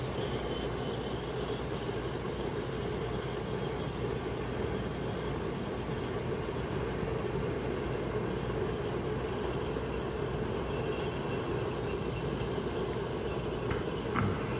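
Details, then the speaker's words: 2017 Heatmaster SS G100S outdoor wood gasifier boiler on cold start. The front damper is opening toward full demand and the fan pulls a steady, soft rushing hiss with no rattle or pulsing; normal airflow. "Hear the air starting to suck through there. There's a damper on each side here. Just starting to open up in there."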